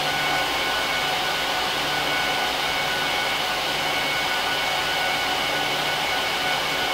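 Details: HP ProLiant DL380p Gen8 server (24×4GB DIMMs, eight 300GB 10,000 rpm drives in RAID 5, both PSUs, no cards) during POST/boot: loud, constant high rushing of fans at full speed with faint steady tones, no rattle or wavering; normal startup.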